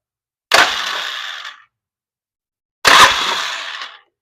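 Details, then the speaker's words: Old Polaris Sportsman 500 ATV, battery with improvised terminal wiring: two roughly one-second bursts of harsh whirring, grinding starter, engine barely turning a couple revolutions then stopping; has some compression, cause not confirmed. "it does have some compression because it is doing a little sucking. But we can only get a couple revolutions out of it."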